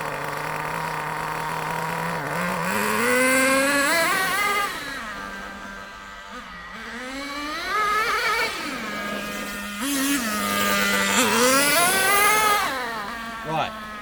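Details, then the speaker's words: Nitro RC car engine after the high-speed needle was leaned out too far. It revs up, then sags and bogs instead of holding revs, again and again, because there is not enough fuel; the mixture is too lean. "did you hear that it went it revved and it went Bo oh that's because there's not enough Nitro right not enough we've gone two fights to weak too lean"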